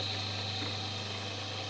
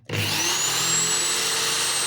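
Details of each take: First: Homemade disc sander built from an old Soviet bench grinder, disc fixed with M4 screws: steady, smooth hum with a faint high whine, no wobble or knocking; disc spinning evenly. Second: Old homemade disc sander built from a drill with a 180 mm sanding disc, running at no load near maximum speed: loud, harsh high-pitched whine with a roar behind it, pitch falling as it spins down; far too noisy.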